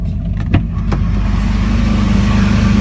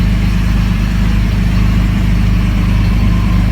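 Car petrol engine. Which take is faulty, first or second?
second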